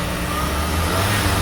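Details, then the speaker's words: VW Polo Vivo that had a cylinder 2 misfire, after cleaning and reinstalling the spark plug; engine pulls up cleanly with a steady even hum, no stumble or popping on acceleration. "The engine is already idling considerably better on acceleration. You can see that there is no less fire."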